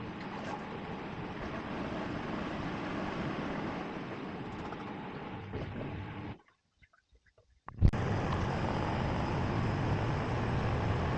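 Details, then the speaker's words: Miele WKG 130 WPS washing machine in spin mode: heavy low droning rumble and strong vibration through the whole machine plus a knocking noise from inside, most likely from worn shock absorbers, which were then replaced. "in the spin mode strong vibrations are felt throughout the entire machine I'm trying to show them here because they are not clearly visible in the recorded video in addition to them there is a knocking noise from inside in most cases this is due to wear of the shock absorbers"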